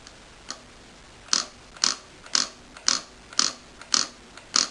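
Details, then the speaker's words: Porsche 944S2 idle air control valve, removed and bench-tested by briefly flashing the coil across a battery: crisp sharp clicks about twice a second as the valve snaps open and shut; normal operation. "so you just flash it basically you to stroke it across very quickly so if you listen you should hear the valve working"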